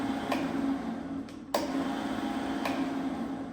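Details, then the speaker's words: Hoover three-phase motor on Denford Viceroy pillar drill after replacing notchy, hardened-grease bearings that had caused squeaking and near seizure: quiet, steady low hum with faint ticks from the spindle, no rumble or grinding; motor bearings running smooth. "Motor's silent, so the only noise now is coming from the spindle, and I'm not really getting involved in that."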